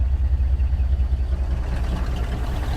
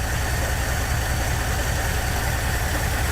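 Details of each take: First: 1959 Dodge D-300 farm truck 318 V8, sat for months, after fixing a faulty key switch during a starter job: fires right up into a deep, steady idle pulse with no misses or knocks. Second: 1959 Dodge D-300 farm truck, 318 V8, fires up after sitting for months following starter and solenoid replacement; loud, lumpy uneven idle with low thump, described as a totally blown 318, rough idle.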